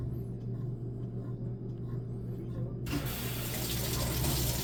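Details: Whirlpool top-load washer during recalibration cycle after spin and agitate steps: low motor hum, then sudden steady hiss of water spraying into the tub; normal fill step before the cycle finishes.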